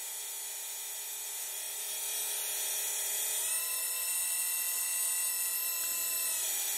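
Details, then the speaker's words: Hidromek RC hydraulic excavator model after topping up hydraulic oil by syringe: steady thin pump whine rising as boom moves, smooth with no sputter; oil circulating without bubbles, cavitation cured, slight bubbles remain as tank not completely full; normal hydraulic pump operation. "you can see now there's plenty of oil circulating and there there's no bubbles anymore so that's a good indication that the hydraulic system is now healthy"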